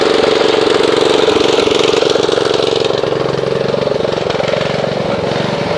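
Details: Snapper RER Comet riding mower that sat about a year, before a Mechanic in a Bottle fuel treatment (plug good, air filter checked, choke off): a steady mid-pitched engine with a slightly uneven, wavering beat; rough running from old stale fuel.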